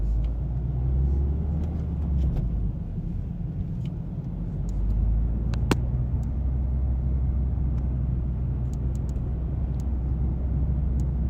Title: Clicking sound - Mazda 3